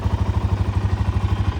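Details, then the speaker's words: Suzuki LT-Z400 low-hour quad at idle: an even, steady single-cylinder thump about ten beats a second with no ticking, valve or cam chain noise; a healthy normal idle. "nice and quiet definitely don't hear that uh no ticking no Val noise no camchain noise definitely quiet bike"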